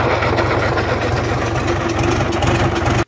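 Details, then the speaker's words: Gardner diesel engine idling with a steady low thrum and unambiguous rattling slap from a slack timing chain at the front of the engine needing tensioning. "so i'll fire up now and i'll let you hear uh the slap in the chain i think you can hear that rubble quite clearly there it's quite unambiguous"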